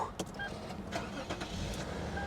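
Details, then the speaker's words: 2012 Porsche Cayman manual at auction, found with a dead battery; a few quick cranking pulses, then it fires right up and settles into an even idle; clean, healthy start. "oh she fired right up are you kidding me no way she fired right up"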